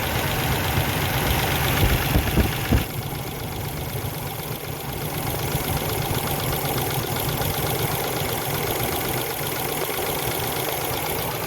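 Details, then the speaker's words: 2000 Ford Excursion, Triton V10, at cold idle after a spark plug and ignition coil replacement: a fast, light tapping, about three per second, over a steady idle. Owner suspects a lifter or cam follower; the tapping stops once the engine warms up. "yeah there's there's a valve or something in here that's tapping it might be a lifter might be a cam follower I don't know"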